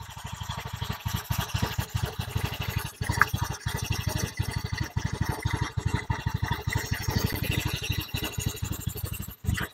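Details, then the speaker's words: Honda Beat FI scooter after engine rebuild with new piston, previously rough-sounding: even steady low idle putter with no knock, tick or rattle; engine and CVT smooth, normal idle. "suarane WS halus Mas on engine tanpa mikrofon B tetap halus bol Akung ready"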